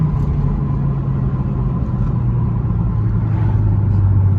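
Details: BMW 335i N54 turbo six: low, uneven rumble with an irregular stumble about every quarter second, a rolling misfire.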